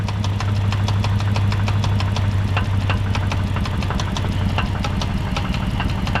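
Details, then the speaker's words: 2005 Dodge Magnum R/T bought blown up, idle: fast light ticking from the top end; owner suspects failed lifters, plus possible rod knock, and plans to pull heads and check lifters. "okay so i don't know if you guys can tell but there is definite tapping up top on the top end that's what you hear there"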